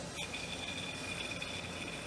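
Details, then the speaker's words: John Deere D110 mower that was very noisy, old pulley spun by hand after removal: faint scratchy whir with a thin high squeal, rough worn bearing, unlike the silent new John Deere replacement pulley. "There's a lot of rubbish, I don't know how to say that, versus the brand new one from John Deere."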